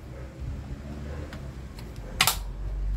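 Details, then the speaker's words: Clothes iron reassembly: a few crisp light clicks as the thermostat knob turns, made by the small pin and spring detent refitted under the knob; normal detent clicking. "ó tá vendo el faz esse barulhinho por causa daquela molinha"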